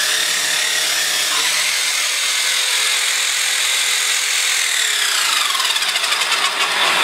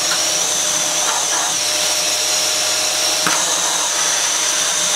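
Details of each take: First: Dyson Cinetic DC54 floor tool after refurbishment: high motor whir with harsh gritty rattle worsening toward the end; owner suspects two cogs removed for cleaning were not refitted properly, cause unconfirmed. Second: Dyson Cinetic DC54 after refurbishment, previously used heavily for DIY, running in max mode: steady rushing airflow hiss with even motor hum, no rattles, air rushing out when opened; normal vacuum suction.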